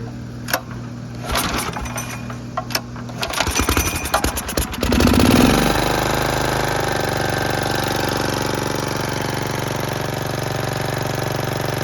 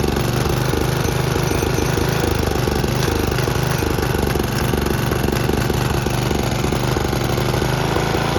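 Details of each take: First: Snapper riding mower after the carburetor float kept sticking, fixed by reversing the float bowl; started on choke in neutral, it gives a few cranking chugs, catches at about five seconds and runs evenly with no misses. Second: Snapper riding mower, single cylinder, with an aftermarket Chinese carburetor whose needle and seat leak: a loud, lumpy chugging that never settles, with black smoke. It runs rich because a float stuck down is flooding the carburetor.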